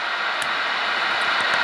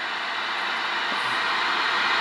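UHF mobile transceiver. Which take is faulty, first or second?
first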